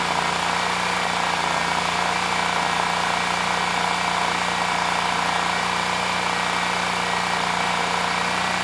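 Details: Generac XG10000E after carburetor cleaning, choke off, airbox not yet fully assembled: smooth even beat with no misses or surging, just a steady rumble; running normally.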